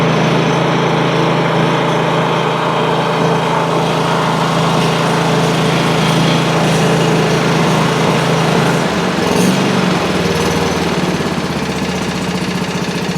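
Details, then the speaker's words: Country Clipper Challenger 52-inch zero-turn mower after freeing a locked-up PTO clutch bearing: steady even engine drone with no knocking, dragging or hanging up; engine runs normally, though oil leaks remain to check. "This thing's completely free. There's no hanging up whatsoever to it anymore."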